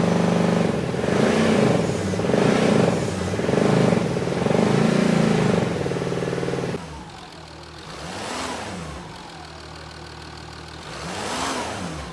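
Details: Jaguar XJ6 2.7 TDV6 diesel after a rebuild for a failed main bearing: it settles into a quieter, smooth, even idle, with two clean revs that rise and fall freely.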